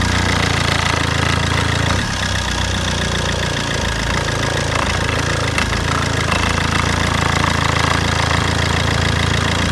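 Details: Fiat Albea 1.3 Multijet diesel idling steadily with regular knock about four per second over low rumble. Engine knocking at idle.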